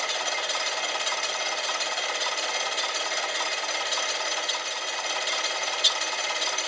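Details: 1959 Cincinnati HydraShift engine lathe, revived after decades idle, run in high gear (980): dry, gritty rasp over the headstock spindle with no knock; a bad gear bearing inside the collar is suspected.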